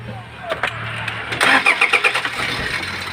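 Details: Toyota HiAce 2KD diesel, misfiring and knocking, hard to start: the starter cranks with a choppy beat of about four pulses a second and the engine is slow to catch. The owner suspects an injector, possibly a valve, before a balance test.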